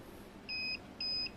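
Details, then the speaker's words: Uwinfly N9 first-generation electric scooter, separate motor, three years old, Nanjing Fardriver ND72360 controller: two clean high beeps after throttling, scooter stops and needs restart; per manual, throttle error code, loose socket or water suspected. "Bip dua kali. Pedal ininya error."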